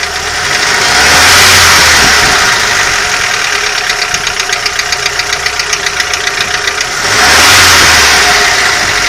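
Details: Audi 80 engine: a sharp, regular knock of about four a second that rises and falls with revs over the engine note; engine knock.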